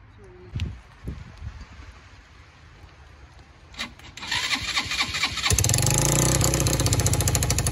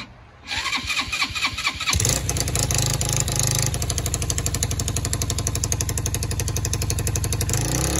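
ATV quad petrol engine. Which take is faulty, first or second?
first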